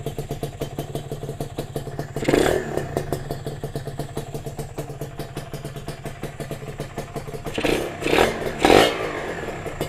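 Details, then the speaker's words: Freshly overhauled Kawasaki RR two-stroke motorcycle after its first start. Quiet, crisp, even idle with light steady ticking and a couple of short throttle blips. Normal idle. "Sekarang kita try hidup kan. Senyap ni geng motor. Baru overhaul."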